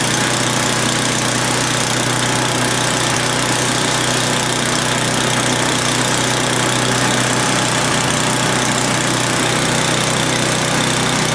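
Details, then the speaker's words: Old Craftsman snowblower bought as a non-runner, first start after reassembly with fresh gas, fuel on, primed and oil filled: small single-cylinder runs fast and even with steady buzzing beat, no misses or surging; running healthy. "now we're going to try starting for the first time so we're going to prime it i've already turned the fuel on put fresh gas in there oh it's sounding good"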